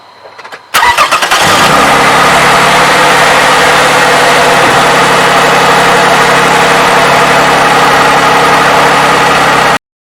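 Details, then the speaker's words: 2007 Toyota 3.5L with 170,000 miles, after graphene oil additive treatment: catches after a short crank and settles into a smooth, quiet, even idle with no ticking. Owner says he has never heard it so quiet. "But hey, to me this looks like a success. Never heard this engine so quiet."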